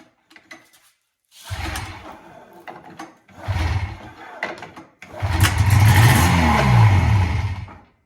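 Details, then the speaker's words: 1980 Yamaha SS440 Exciter snowmobile two-stroke, sitting 20 years in the woods, first start with no work done: two cranking bursts, then it fires and revs with a buzzy, rising note; normal start-up and running. "she runs that's awesome really I didn't do any work cool"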